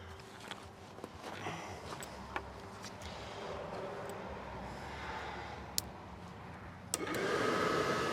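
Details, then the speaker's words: RV propane furnace, second-opinion check after a sail switch adjustment: steady airy blower whoosh that picks up and runs stronger, spinning faster, then lights on propane with the sail switch holding much better; healthy blower. "It sounds like it's spinning faster. Oh, I didn't turn on the gas, propane. It lit."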